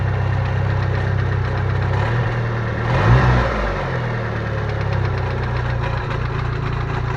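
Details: Idling petrol engine with fast metallic rattle-knock about four per second; rod bearings first suspected, but the Fidanza flywheel starter ring was found loose.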